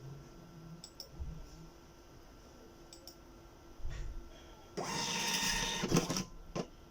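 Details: Birch CP-Q3 receipt printer after the cutter fix (DIP switches 2 and 4 set up, power cycled). Test print gives a quiet room, a second of fast printing rasp, then sharp cutter clicks; it prints and cuts normally.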